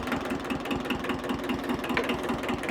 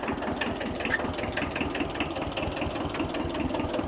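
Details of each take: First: Free 1974 Kubota diesel tractor that started once the throttle was moved off stop. Even, rhythmic diesel clatter at idle with no misses or hunting; runs healthy. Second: Free 1974 Kubota tractor old two-cylinder diesel running with an irregular sharp crackling clatter over the idle beat. The owner says it is starting to make cracking noises (he is worried about the steering gearbox). Cause unclear.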